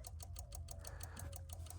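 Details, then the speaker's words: Flood-damaged 2004 Cadillac DTS convertible with a junkyard fuse box and a new starter, battery just reconnected. Rapid, even relay clicking at about six per second over a low hum. Water in components is suspected, not confirmed. "I'm gonna hook up the battery right now and let's see what she does. All right, here we go. Relays are clicking."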